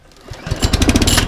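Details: Briggs & Stratton engine on an Einhell mower, started after cleaning the fuel system: catches and settles into a quick, even single-cylinder beat with no misses or stumbles; runs clean.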